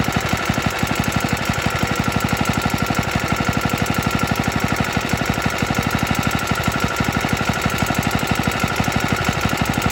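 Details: Very early 1954-55 Suffolk Iron Foundry Model 1A single-cylinder engine, cold, run on a substitute carburetor: rapid regular hard clatter over single-cylinder thump at steady speed; rattly running, cause unclear.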